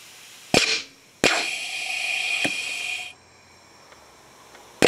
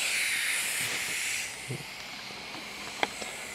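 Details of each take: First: 3/4" inground sprinkler solenoid valve, electrically triggered via transformer, holding compressed air: sharp cracks and hissing air rushes as it snaps open; valve working normally. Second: Prototype 3/4" inground sprinkler valve under compressed air: steady high hiss leaking at the worn scrap hose connection, changing when touched by finger; possibly fixable with a different washer.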